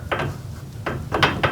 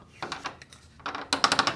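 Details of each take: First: Garage door after fitting nylon rollers and sleeves on all 10 rollers: door travel gives only a few soft, muffled clunks as rollers pass the hinges, no high-pitched metal rattle as before; rollers now running quietly. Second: Garage door with a nylon roller just installed, roller stem bare without a sleeve: sharp, high-pitched metallic rattling in quick bursts as the metal roller stem knocks inside the hinge tunnel. A roller stem sleeve muffles it.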